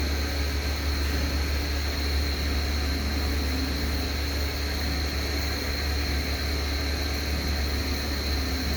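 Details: Airflow CE200 style 5 fan: steady low hum with a constant rushing hiss and a thin high whine on top; worn bearings, owner reckons it's about to fail.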